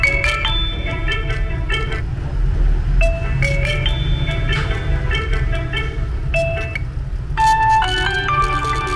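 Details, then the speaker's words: Huawei Y9 2019 phone loudspeaker playing a ringtone with heavy distortion, a rough buzzing crackle and rattle under each note; recorded before the phone is opened to replace the speaker. "Các bạn nghe nó bị rè nha các bạn. Nghe nó bị rè nữa, nó khẹt nó rè"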